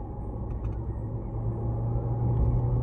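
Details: Chevrolet Prisma after engine mount replacement, which cured shuddering and right-side noise a mechanic blamed on the gearbox: steady even low idle rumble, no shudder or knocking.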